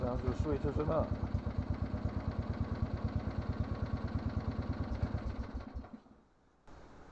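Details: About 40-year-old Lawn Flite MTD ride-on mower, after fixing a click-only no-crank solenoid problem; single-cylinder putters evenly at idle with no misses or knocks, then cuts off cleanly; normal running after repair.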